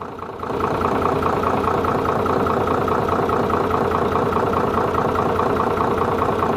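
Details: Hino J08C diesel truck engine after repair for a piston/cylinder fault, fully refitted and restarted: it starts and settles into a steady, even idle with a smooth regular beat and no knocks or misses, running healthy.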